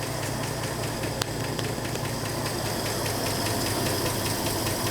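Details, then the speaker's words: 1984 Ford F150 short-box 4x4 idling on fuel poured in the carb bowl after a rough valve adjustment: rough idle with light uneven ticking two or three times a second; owner suspects stuck lifters given badly worn pushrods. "You know, for that half-assed valve adjustment job, it don't sound too bad yet. Got a little chatter. I'm really concerned about lifters being stuck because of how bad some of them push rods looked, but wow, it's just idling."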